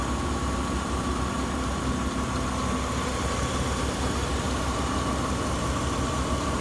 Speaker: Santa Fe. 3.5, runs excellent. 198,000 miles. Beautiful runner.